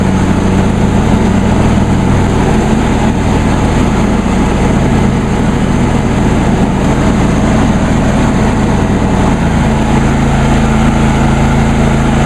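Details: John Deere D130 lawn tractor, deck raised all the way so not cutting, blades engaged: loud, even engine drone at steady speed with no knocks, rattles or surges; normal running with blades engaged.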